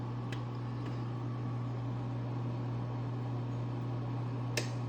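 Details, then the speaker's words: Frigidaire Gallery nugget ice maker under 3 months old: steady low compressor hum, occasional ice dropping, and a few sharp, isolated loud clicks, a new intermittent noise; unit being returned. "I've had it for less than 3 months and it's making a loud clicking sound."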